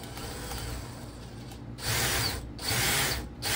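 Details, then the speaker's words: Drill-powered chainsaw attachment (drill spins shaft into a small gearbox) revved by a drill: drill whine with bursts of harsh scraping chatter from the chain; chain not too tight, owner suspects it needs lubrication, unconfirmed. "I think it just needs lubrication maybe if we put some oil on it would stop making that noise"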